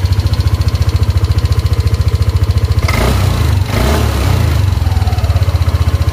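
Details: Yamaha Aerox after repairing a torn engine temperature sensor socket and wiring that caused MIL light and unstable revs: even, steady firing about three and a half pulses a second, brief rev blip, then stable idle; running clean, fault cured.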